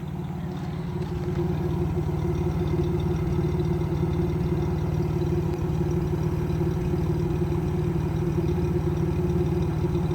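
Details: Camaro RS 3.8 V6 at idle with a misfire: low uneven chuff and rough stumbling beat instead of a smooth hum.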